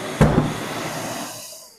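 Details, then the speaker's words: Mirka DEXOS 1217 M M-class extractor with brushless motor, AFC auto filter cleaning: a single sharp bang then a fading hiss as air pulses back through the filter, the normal self-cleaning cycle that keeps suction with fine dust. "hear that bang? That is basically the machine cleaning itself, so you never ever lose any suction, even when you're working with really fine dust particles."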